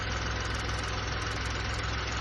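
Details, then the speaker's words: VW Polo 1.2 after timing chain repair (fault code P0341; guides, tensioner, cam sprockets, chain and crank sprocket replaced, fresh oil and filter): steady, even idle, smooth low hum, no chain rattle; running normally. "As you can hear, no chain rattles or startups, running perfectly fine."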